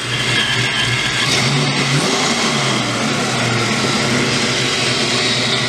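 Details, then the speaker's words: Ford Mustang after first start, ignition timed as close as possible: loud, steady, deep note with a slight uneven lope; the big cam makes the idle a little rough, engine revs out and settles back, otherwise running fine. "but she's coming along sounds pretty good little bit rough on idle but there is a big Pam in there so he's gonna probably should be smoother than that"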